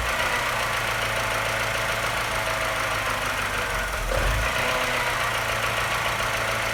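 Light tapping runs through a low idle, with one stumble around the four-second mark; a tap and slight misfire, cause unknown.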